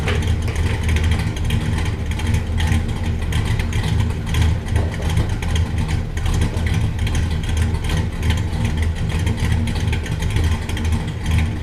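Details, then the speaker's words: 1967 Buick Special with 415HP small block Chevy 350, running after fuel tank drop, filler brazing and sending unit adjustment: low rumble rising and falling with revs, no misses or stumbles; fuel pressure holds, no leaks. Normal running. "And we're good. Still have fuel pressure. Runs good. Doesn't appear to be leaking."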